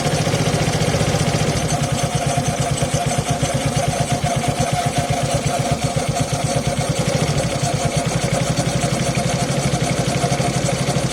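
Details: Suzuki Access 125cc scooter cold first start: steady rapid clattering chatter over an even idle, also noisy at 30-40 km/h; mechanic says timing chain, owner doubts it; unconfirmed.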